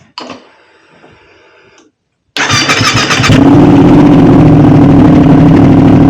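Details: Modified Aprilia RS660, first start on the newly loaded remap and not yet warmed up (coolant still to be checked): quick starter whirr, the engine catches cleanly and climbs into a crisp, steady rev with no misses or rattles; normal start and rev.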